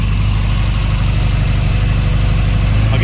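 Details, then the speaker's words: Turbo Ford Escort Mk2 run lean at 30 psi boost, lifted a cylinder head, low on coolant; rough, lumpy idle stumbling about twice a second, owner suspects misfire from blown head gasket, compression test planned. "lifted a cylinder head so now when you start it I can't write it along because obviously hasn't cool much coolant left in it you hear that Miss"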